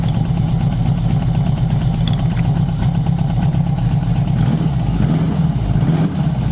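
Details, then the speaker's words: 1980 Yamaha XS1100 Special four-cylinder with an uneven, lumpy beat and occasional exhaust pops: misfire and backfire. #3 suspected running rich and overflowing; #4 keeps dropping out, suspected high-resistance spark plug resistor caps. "okay it's a miracle that I got it going again I think that this one number three was running really rich because it was overflowing but let's look at some backfire going on"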